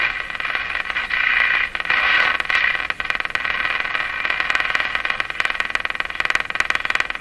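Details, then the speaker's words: Canadian Westinghouse Model 684 tube radio on the broadcast band, after an IF bypass circuit cleanup, gives harsh buzzing static with rapid crackling interference; alignment issues are expected, and it quieted once the antenna ground was attached. "Try to get a station in here despite that interference. There'll be lots of alignment issues."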